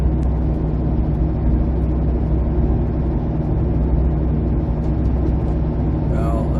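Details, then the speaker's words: 2008 Jeep Compass driving: steady low hum under road noise from a worn front passenger-side wheel bearing, fading when cornering and returning straight; tightening the bearing nut helped only briefly. "unfortunately I that bearing is is shot and you can tell now when I go around this corner here the noise almost goes away and now straight back on it and now it picks back up again"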